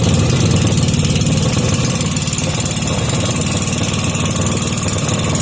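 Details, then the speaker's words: Briggs & Stratton 5 hp gear-reduction engine after turning the air-fuel screw out half a turn, previously only running half-choked: steady, even chugging at constant speed with no surging or misses, carburetor dialed in; normal running. "and the kill wire works awesome carburetor dialed in"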